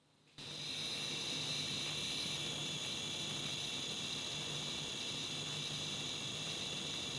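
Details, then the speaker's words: Lithium portable power station, not charging and switched off, quite hot with fans not running; steady piercing high-pitched whine over soft hiss, unchanged when plugged back in to charge. High-pitched squeal, cause unknown. "I really hope you can hear that but that is really strange and and the fact that it continues when there's no power going into it and it's quite hot and the fans haven't kicked in like they did earlier"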